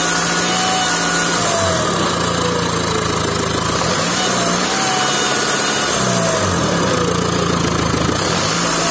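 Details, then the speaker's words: VW 2.0 TDI BKP 140hp diesel with seized turbo geometry and loss of power but no fault codes, running before turbo cleaning: high metallic ring over the clatter rising and falling with revs; owner suspects something blocked, worn turbocharger ringing. "here it's very strange that we have that sound and I didn't have no chords but I have a loss of power so it could have been that this thing here is blocked or something like that I'm not sure"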